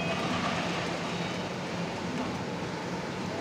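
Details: Suzuki Carry commercial vehicle driving: a steady deep roar like an airplane that rises with road speed, with a droning hum underneath. The cause is a worn front right wheel bearing.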